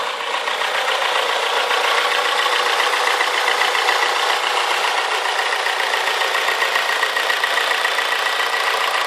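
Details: Toyota Corolla AE94 converted to a 4AGE 20V Silvertop, after idle issue fixed, constant light top-end clicking of two to three per second at steady idle; source unknown, doesn't seem to affect driving.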